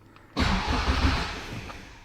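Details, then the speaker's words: AWD Civic Type R build, starter rewired off the clutch switch to a push button after ignition on and immobilizer, Haltech ECU: short crank, then the engine catches at once and settles to steady revs; clean, healthy start. "so now how you start the car is ignition on it still goes to the immobilizer and all that good stuff"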